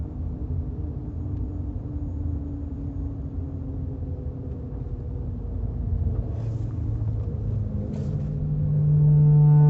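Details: Chevrolet Camaro while braking: low road rumble, then a loud, steady, deep groaning hum lasting about four seconds.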